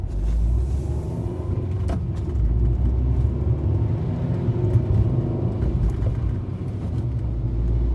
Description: Here’s a video recording of my 2013 Fiat 500 demonstrating the clicking sounds under the car whenever I go over bumps and pot holes.